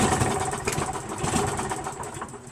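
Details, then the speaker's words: Craftsman 7 HP self-propelled mower, primed, under half inch of fuel: engine catches with uneven sputters and sharp pops then dies within three seconds; owner suspects timing off from a damaged flywheel key. "See what I mean? I think the timing's off. It's smooth and everything, but see, pops. Wants to start."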